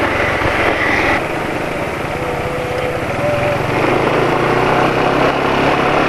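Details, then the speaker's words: Motorcycle idling on very thin mixed oil (Mesran B40 with cooking oil, wrong ratio); loose chattery rattle about two ticks a second over the beat, like cylinder-head cam chain noise; owner suspects oil too thin, not confirmed. "jadi ini suara yang terdengar sekarang suara kayak suara rantai yang katanya rantai yang di silinder head"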